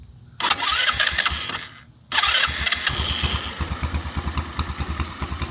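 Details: SunL 150cc Chinese quad with a GY6 engine, stored about four years, after a tank and fuel line swap and a fresh battery, started by jumping the solenoid: two starter whirs, then it fires and settles into an even putter; the carb still needs cleaning.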